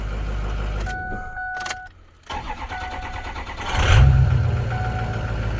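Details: 2005 Ford F-250 6.0 diesel after camshaft position sensor replacement for intermittent cranking no-start: shut off, cranks barely a second and a half, fires and settles into an even healthy idle; night-and-day quicker start.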